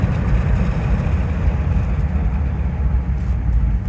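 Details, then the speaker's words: Rolls-Royce Silver Shadow with SU carburettors, after carb tuning: deep steady V8 rumble accelerating from about 60–70 km/h, even with no misses or stumbles; engine running smoothly, though cabin hears an exhaust leak. "running smoothly let's give it some wide open throttle well it's not a super fast car but that's actually the highest amount of throttle that I've given it since I bought the car"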